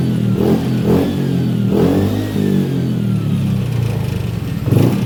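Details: Honda Beat FI scooter on its stand after a TPS reset/adjustment procedure (no fault codes stored): the engine pulls up cleanly through several blips and settles without stumbling. Throttle response is smooth and even.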